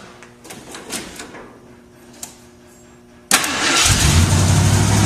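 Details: Jeep on jack stands after an exhaust donut replacement; after a quiet spell it cranks, catches and settles into a steady, even run with no exhaust puffing or ticking; exhaust fixed, running normally.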